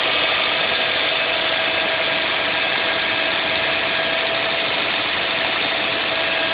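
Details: 2006 Saab 9-2X Aero, cold start first thing in the morning, no air conditioning on; smooth fast idle with a steady hum and no ticking or knocking, still settling toward normal idle, a normal cold idle.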